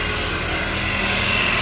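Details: 1990 Honda CRX HF with freshly installed CRX Si engine, just started and revved after the swap: constant high, hissy scraping whir over the engine while the fan spins; radiator fan blades rubbing on the frame.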